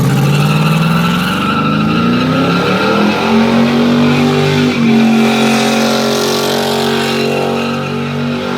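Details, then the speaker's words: Truck at burnout competition, first gear, engine held high: long steady tire squeal with no bite, power down severely; only one wheel spins because the supposed limited-slip differential failed, later welded spider gears. "As we thought, we are down on power quite severely. But the other thing that I'm noticing is that the truck doesn't want to rotate at all. It's supposed to have a limited slip, we think."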